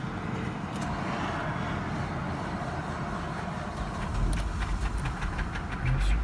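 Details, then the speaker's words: 2011 Chevrolet Traverse that broke down, started at idle before towing: rough, uneven idle with loose irregular knocking about three beats a second and bad misfiring; owner suspects lower-end rod knock, not confirmed. "running, but it's knocking pretty bad, it seems like. See if we can load this thing up on the trailer or up on the dolly, but it's missing real bad, and hopefully we can get it loaded up without no problem."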